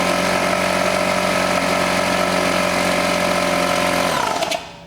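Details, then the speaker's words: Electric plumbing air compressor switched on briefly: a loud, steady motor hum with an even pumping rhythm at constant pitch, then it switches off and winds down. Runs normally. "The next thing would be to turn it on. Now, this is going to be loud, and I'm not going to let it run too much."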